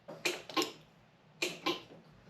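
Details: 1972 Pontiac Ventura Sprint barn find, key on, engine not running: sharp electrical clicks in pairs, a couple of bursts within two seconds; horn solenoid chattering, triggered by touching the steering wheel, suspected broken or grounded part inside the wheel.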